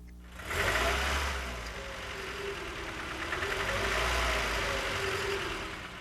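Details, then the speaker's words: Nissan engine: light rapid ticking knock rising and falling with revs, louder at side of block when cold, quieter with number two injector lead pulled, changes when PCV hoses pinched; suspected piston slap or pin knock, unconfirmed. "this noise sounds louder at the side of the block when the engine's cold and quiets down when the number two injector lead is pulled it also changes when the PCV hoses are pinched"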